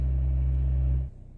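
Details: Japan-built Toyota Corolla E12 fitted with a 55 mm Avensis 1ZZ-FE throttle body and a Celica 1ZZ-FE intake manifold, restarted after the battery was disconnected to reset the ECU, with the engine slightly cooled. A steady low hum at an even idle, then shut off; normal idle.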